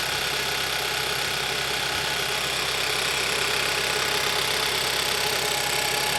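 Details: 2011–2015 Kia Optima 2.4L GDI at idle right after valve cover gasket replacement. A sharp, fast ticking over a hissy idle was not heard before the job; the source is not confirmed.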